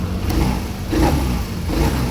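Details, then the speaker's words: Royal Alloy GP300 scooter after a service fixed its rough idle: low, steady idle with gentle swells in loudness, no misses or hunting; owner says it now runs smoothly. "Oo eh nung after nung PMS okay na okay. Smooth na smooth na po."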